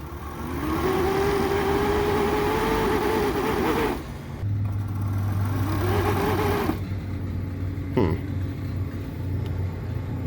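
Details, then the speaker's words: Fieldpiece refrigerant recovery machine with slow-ramp soft start during walk-in cooler job: motor hum climbs about three seconds then cuts out, restarts and dies again, stalling on startup; owner suspects bad receptacle. "fully open fully open i think i might be plugged into a bad receptacle"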